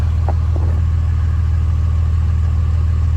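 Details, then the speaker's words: Early 2007 Ram 3500 5.9 Cummins diesel, G56, 326,000 miles, cold at 31°F, low idle 800 rpm with exhaust brake open and EGT just under 300°F; even, steady low rumble, no misses or knocks, healthy. "But yeah, what are we sitting at there? Just shy of 300 degrees. And we're still at a low idle here, 800 RPM."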